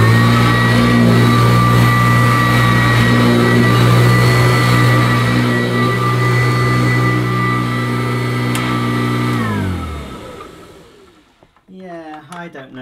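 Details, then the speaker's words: Kirby Classic III vacuum cleaner, old unit, run with suction relief valve closed: a loud steady high whine over the motor's hum, dropping in pitch as it spins down at switch-off; owner unsure whether this model normally sounds like that. "perhaps this model does sound like that anyway I'm sure kirby experts watching will be able to tell me"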